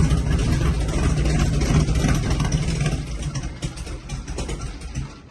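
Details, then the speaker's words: 1973 Jeep J2000 with a 2.3-litre (2300) four-cylinder, started in the shop: steady low rumble with an even, regular beat, no knocks or ticks, settling into a healthy idle; a good sounding rig. "there it is that's a good sounding rig"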